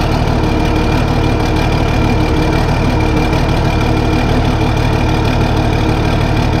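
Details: Case 1450B dozer with freshly rebuilt diesel engine, first running after reassembly, oil pressure coming up to about 40 psi: steady, even idle with a deep regular chug, no knocks or misses.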